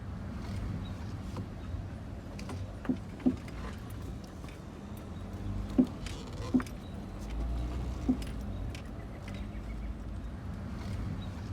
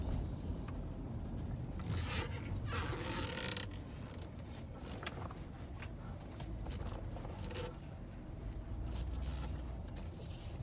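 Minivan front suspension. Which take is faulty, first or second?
first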